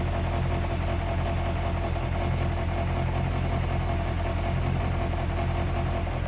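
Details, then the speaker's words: 1972 Range Rover A-suffix at idle, under-car: steady low idle with loose, uneven buzzy rattle from the exhaust; not leaking, suspected loose silencer baffle or a stone inside, unconfirmed. "there's a vibration of the exhaust under here"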